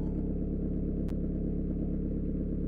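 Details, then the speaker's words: Citroën/Peugeot 1.9 diesel with mechanical injection pump after valve clearance adjustment: steady, even diesel clatter at idle, smooth low rumble, no misses or tapping. It previously started badly in the morning and smoked because the tappets had zero clearance. Normal idle. "mais c'est le problème est résolu il avait des des poussoirs bien serrés"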